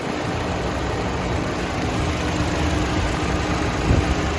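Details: Chevrolet Cruze after valve cover replacement for a leaking PCV diaphragm vent: smooth, steady low idle with no hiss or whistle, and the vacuum leak noise is gone. Normal idle.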